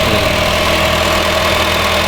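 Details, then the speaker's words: 2010 Honda Fit, with 100,000 miles on the old alternator, idling right after the alternator replacement: a smooth, even idle with a steady hum and no squeal, knock or belt chirp; the voltage reading rises from 12.04 V to about 14.8–15.5 V, so it is charging. "staying on. We got 15.5, well 4.8 if anyone's real specific. Sweet, alternator's charging."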